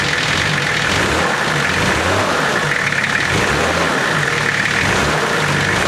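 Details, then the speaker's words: Nissan GQ Patrol diesel after repair: even idle with a steady, smooth clatter; the previous engine knock, possibly injector knock, is gone. "thank you to what it sounds like now that engine knock injector knot whatever it is gone"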